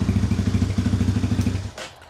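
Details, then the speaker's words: 2020 Chinese Apollo 250cc kickstart dirt bike, cold start with the exhaust completely cold, after electrical repairs for no starter and no spark: quick, even single-cylinder thumping, steady until shut-off, idling cleanly. "It's running good. Starts right up. That's a cold start. Like I said, the exhaust is completely cold."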